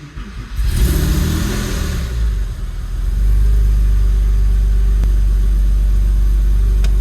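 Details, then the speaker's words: Rare Techart Porsche 996 at its first start after long storage: the engine catches, revs unevenly, then settles into a heavy, slightly lumpy hum, rough from sitting unused a long time. "Brilliant! Definitely sounds like a car that hasn't run in a long time. We're gonna change that."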